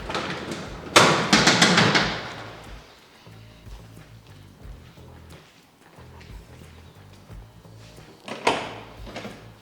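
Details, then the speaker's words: 1971 RS Camaro pro tourer, LS2 V8 with Edelbrock Victor Jr EFI intake, T400 with 5000 rpm stall converter, premium fuel: short crank catches first try, then settles into a steady, lumpy V8 idle with even low pulses; healthy cold start. "One kick, that's nice. Yeah, it does fire up well."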